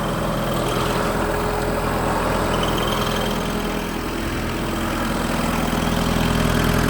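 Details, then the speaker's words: Kubota GT-3 mini tractor, 4-cylinder liquid-cooled diesel, 570 engine hours, idling with hood open: steady, even, quiet low hum with no knocks, ticks or rattles and no leaks; normal idle. "4-цилиндровый дизельный агрегат у нас здесь стоит. Воздушный фильтр, жидкостное охлаждение. Все работает ровно, тихо. Никаких подтеков, никаких лишних шумов здесь у нас нет."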